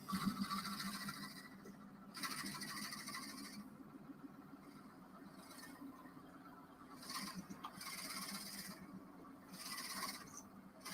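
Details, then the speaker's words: Axminster AC 305 WL wood lathe turning a bottle opener on a live centre: scratchy cutting with a faint intermittent whistle from friction heat building inside, slight smoke. "see can you hear that whistling yeah that's because it's generating heat inside so what i'm going to do is just turn the lathe speed down a little bit because we don't want to burn the inside of it"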